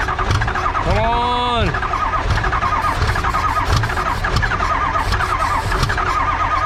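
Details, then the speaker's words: Engine with ICP and fuel pressure present cranks steadily and tries to fire but won't start; no injector clicking heard; injection control module performance code present, cause unconfirmed. "you know i'm not really hearing the injectors click where if huh normally you could hear the injectors click click click i'm just not really hearing it but it's trying to fire"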